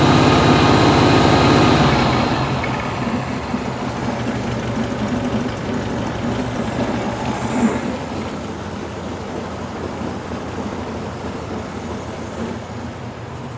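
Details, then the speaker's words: 1974 VW Beetle in for starter replacement and intermittent no-start; after the work it catches with a loud burst and settles into a steady, even idle with a regular beat and no knocks; carbs still perfect, belt noted loose. Healthy idle. "Well, it's running. Six. Six. I need that. Carbs are still perfect."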